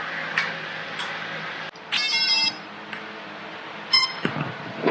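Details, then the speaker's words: F550 hexacopter with Pixhawk 2.4.8, ArduPilot, ELRS receiver and XXD 30 A ESCs: short bright electronic chirps in a rising tone pattern when the flashing safety switch is held until solid; normal safety switch acknowledgement tone. "If it's flashing, you hold the button down and it'll turn solid. And the machine will make that noise."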